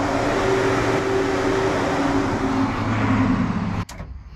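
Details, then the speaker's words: Plymouth Mopar A-body with a 360 Magnum, key on with no fuel in it, after the fuel pump is heard: a steady, even whir of the electric fans at constant pitch, cutting out cleanly when the key is killed. Normal fan operation. "don't want to run it because there's no gas in it that's the fans"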